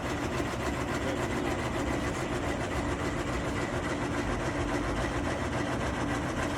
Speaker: Customer notices noise coming from under their hood after they had turned their car off. Usually this is just a fan running, but it stops once the car is started back up again.